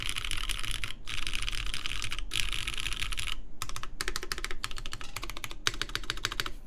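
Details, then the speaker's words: Baron Boards BP One, aluminum full plate, GMK Terminal keycaps, lubed Cherry MX Black Clear Top switches with TX films: quick typing bursts with hollow ringing clack; case resonance, most audible toward the open back and top row where there is more space under keys. "yes, so there you can definitely tell there's an amount of resonance in the case. More audible towards the back of the board, towards the part that's open, and towards the top row really, where there's a lot more space below the keys."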